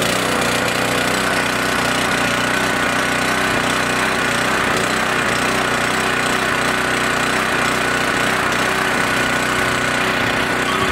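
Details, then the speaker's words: Small single-cylinder engine on 14–15 month old untreated pump fuel, tank about half full, stored three months: started after quite a few pulls, then holds a steady, even buzz with no misses; normal running. "so 14 15 month old pump fuel no additive at all and it started took quite a few pulls but it did start"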